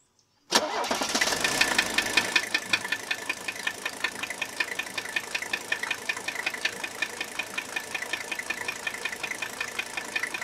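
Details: 1982 Mercedes W123 300D (OM617 diesel), previously run without oil; owner feared rod knock. Starts and idles with sharp rhythmic metallic tapping; compression bubbling around injectors suggests misfire and injector nailing; nozzles replaced.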